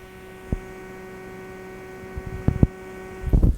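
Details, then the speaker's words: Klipsch ProMedia computer speakers: a constant slight low hum with a higher buzz that stays the same at any volume or subwoofer level and persists with the input disconnected; cause not confirmed. "i cannot get rid of this hum there's a slight hum"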